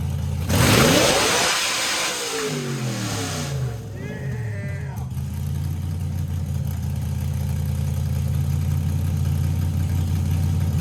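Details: LS V8 after fixing crank signal issue: strong even rumble that climbs and settles cleanly under throttle with no stumbles or cutting out; engine running healthy.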